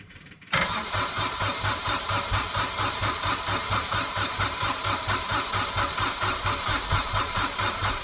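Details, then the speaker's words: Small Kubota diesel, cold (about 1°), newly fitted starter with 8-tooth pinion, heat position used, fuel pump running; starter spins it briskly in a steady churn but it never catches; owner suspects glow plugs not working. "that's a shame cuz these little Kotter engines they usually start pretty well I don't think the heat of plugs are working now"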